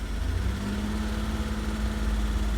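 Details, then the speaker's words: 1998 Holden Commodore VT Berlina, 5 years in storage, fuel pump replaced after a no-fuel, fuse-popping no start, first run on its own fuel after ether: a low, steady, even idle with no misses. Normal idle. "right she's running on her own fuel I think she has an idle but it is running happy day"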